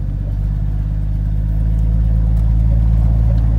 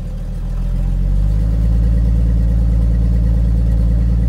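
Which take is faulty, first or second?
second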